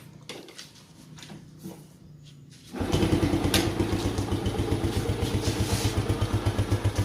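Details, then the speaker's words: Yamaha Jupiter Z1/Vega ZR single-cylinder with a smoking problem caused by a scored bore and piston and worn valve stems: starts and settles into an even, steady idle, with slight white smoke from oil left in the exhaust; normal start and idle. "Nah, oke. Teman-teman bisa lihat itu sudah keluar asapnya dikit berwarna putih. Itu adalah oli yang tersimpan di knalpotnya ya teman-teman. Nah, oke. Jadi mesinnya sudah hidup."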